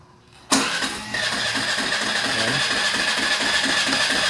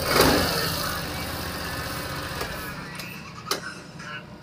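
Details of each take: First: Suzuki Burgman scooter, nearly new, won't start without throttle and stalls: starter whirrs briefly, then a fast, slightly uneven idle; idle speed control valve locked by dirt in throttle body suspected, cracked insulator also found. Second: Suzuki Burgman scooter after ISC valve diagnosis (valve had been locking from dirt): quick crank and catch, then light steady idle that holds without stalling; normal start and idle.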